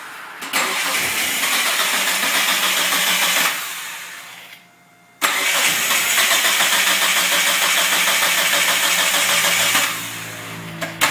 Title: Talon hard starting